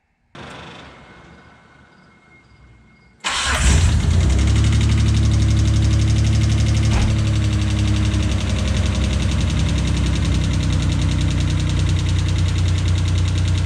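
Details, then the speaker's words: Dodge Stealth/3000GT 6G72 V6 started before lifter replacement: cranks, catches, then steady idle with fast, even top-end ticking; loud hydraulic lifter tick, camshaft problems also found later. "Nope. Man, those lifters are loud. And it Yeah, it's pretty bad."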